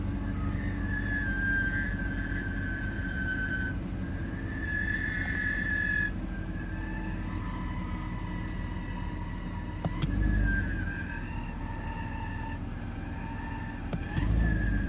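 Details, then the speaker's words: BMW E46 petrol engine idling: wavering high whine drifting in pitch and swelling; not the fan clutch, pulleys and belts look fine, AC/blower doesn't change it, but opening the oil filler cap does. Cause unconfirmed. "have no idea what this is. It's not the fan clutch. The fan stops rotating right after I shut the car off."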